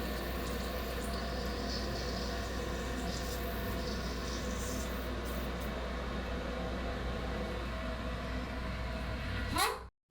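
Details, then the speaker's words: Korky toilet fill valve (528 series) gives a steady hiss while filling the tank, then a short rising squeak or squeal as it shuts off at the end of the fill; cleaning per instructions did not help; replaced under warranty. "i had some issues with the sound of the valve when after it finished filling up the tank it made kind of a squeak or squeal type of sound"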